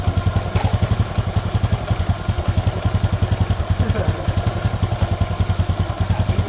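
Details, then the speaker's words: Honda Supra X 125 single after repair (cleaned centrifugal filter), stiff as new so idle raised; connecting rod at about 70% but silent. Steady even thump about 3.5 beats a second, no rattle; normal idle. "Wah bong karena mesinnya masih sedikit berat kita besarin sedikit lansamnya guys karena ini berat berat karena putaran mesinnya berat karenanya masih baru guys"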